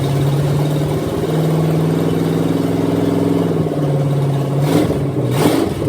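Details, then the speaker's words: Bone-stock Chevy 305 V8, leftover motor formerly in a van, heads put back on, first start on fresh gas for a 53/54 Dodge tow truck: smooth, even idle with steady firing and quick throttle blips near the end, all eight cylinders; normal idle. "there we go that was easy enough so it looks like we got a runner doesn't sound too hateful I mean it's just a 305 it's bone stock but at least it has all eight cylinders"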